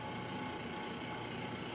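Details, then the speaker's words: 1927 GE DR-2 monitor-top refrigerator with SO2 refrigerant, first run after long storage: loud steady hum with hissy whine, float chamber cold versus coils. Non-condensable gases make the compressor noisy before they are bled off, after which it quiets. "So, we got uh kind of a noisy unit here and it it it's it's cooling, but that's about as cold as it's going to get. Um, and that that noise there, that's that's not normal."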